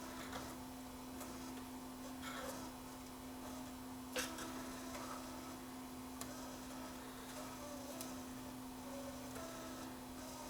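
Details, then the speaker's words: JVC KD-V300 cassette deck playing a tape, after oiling a bearing shaft: faint chirp about every two seconds over a steady motor hum; squeak seems to come from the cassette's own hub, not the deck. "oh you know what it's the bloody consent it sounds like the consent we can put the other way"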